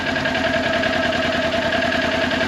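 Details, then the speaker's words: Motorcycle idling in first gear without throttle: thin steady whine as the clutch is slowly released into the friction zone, which is normal. "you hear that it's like a whining noise one more time that's normal that's our friction is on"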